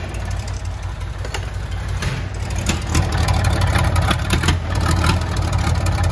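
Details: Old cabover truck with a donor engine, first start after 27 years, idling with about 80 psi oil pressure: deep steady diesel rumble with regular knock rhythm, no stumbling or dying; normal idle.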